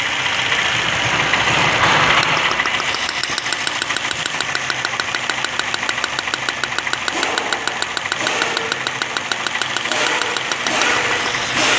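Idle with a sharp, uneven ticking roughly three times a second and a lumpy rhythm; sounds like a cylinder misfiring.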